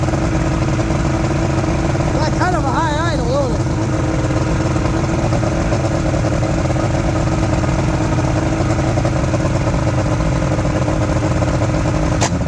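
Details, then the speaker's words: Outboard motor from a junkyard Ebb Tide bass boat, steady fast idle with an even buzz, no stumbling or knocking; owner says it runs really good and will keep the engine; normal idle. "you know what that engine is running really good and I'm gonna keep the engine"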